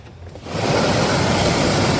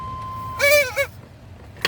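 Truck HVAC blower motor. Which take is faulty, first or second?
second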